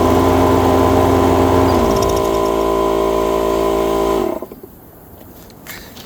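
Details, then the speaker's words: Lawn mower unstarted for about five years, still on old gas, runs with a steady, even buzz and shuts off cleanly after compressed air was blown through the fuel line and carburetor to clear the blockage. "Only thing I did, took some compressed air, took the fuel line off going to the carburetor, blew the air through the carburetor. It blew it out completely. And now look."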